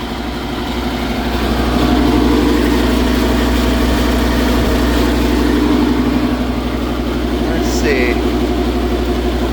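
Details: Trane variable-speed bar AC unit: steady hum with rough, rattly beat about four times a second over the drone; failing condenser fan motor, not over-amping, wrong motor fitted.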